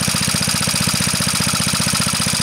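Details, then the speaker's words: Onan PE-88 US military power unit (350W, 115V 60-cycle, 12V charging), running on load with the governor responding: steady rapid light valve clacking, about twelve per second. Valve clatter from excessive valve lash; needs adjusting. "still uh run on load hear the prity Clack of those valves it's not that [Music] bad"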